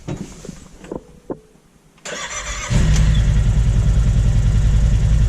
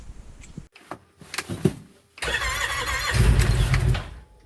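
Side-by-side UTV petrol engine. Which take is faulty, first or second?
second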